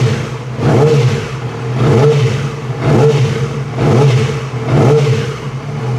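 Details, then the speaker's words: 2006 Yamaha R6 inline-four after sticky-throttle repair. Crisp blips about once a second, revs rising and falling cleanly; normal revving, and the throttle feels much better. "The throttle feels a lot better."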